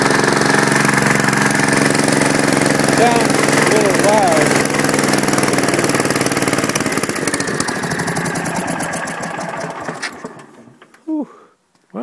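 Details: Kohler K241 single-cylinder on Gravely, first start, fuel pump leaking gas: loud fairly even knock about three per second over rough running that dies away; owner suspects rod, not confirmed.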